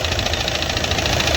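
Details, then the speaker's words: Audi Q3 2.0 TDI diesel idling after restart: loud rapid sharp knocking; cam plate out/damaged, throwing the timing wrong even when set correctly; P0016 crankshaft position code. "दिया काफी आवाज कर रहा है नकिंग करहा देख सकते हो कितना डेंजर नकिंग कर रहा"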